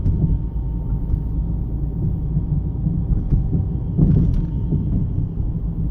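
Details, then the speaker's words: 2009 Jeep Compass 4x4 driven over bumps, heard inside: dull low thumps and rattles through the floor over steady road rumble; caused by worn front sway bar links after the rest of the front suspension checked fine. "okay this is a 2009 Jeep Compass 4x4 complaint it's over bumps it makes a really bad noise"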